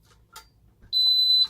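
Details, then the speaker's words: Older Ademco 6128 keypad, carbon monoxide zone alarm: piercing high half-second beeps in the temporal 3 pattern, display showing only alarm 04; being older, it gives temporal 3 rather than temporal 4. "You can hear with this, it does the temporal 3 beeping, and it just says alarm 04. That is because the display does not have a fixed English area for carbon monoxide, so it just says alarm, and it produces the temporal 3 beeping."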